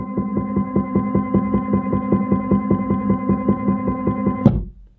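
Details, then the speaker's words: Stepper motor on a step-and-direction drive controlled by a Pico, run at full speed with no acceleration or deceleration: steady hum with a knock every revolution, about 2.5 a second, then an abrupt jerking stop. "now you hear that knocking on every Revolution"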